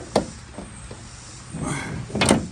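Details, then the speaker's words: 4x4 van sliding door: sharp clicks and a short scrape as the slider rolls, then it catches and stops partway; owner suspects a missing roller or spring; sliding door clicks and stops short. "And it may be hard to see with the sun, but this slider here, if you look, it'll get to a point, hear how it kind of clicks and stops right there. What it's doing is stopping here."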